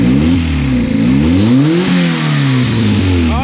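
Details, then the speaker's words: Honda EF hatch with a B18B1 turbo engine, just running again after an engine wiring harness rebuild, only an O2-sensor check engine light on: revs rise and fall cleanly and it holds its own idle without stumbling; normal idle and rev. "but it sounds good it idles it's holding its own idle"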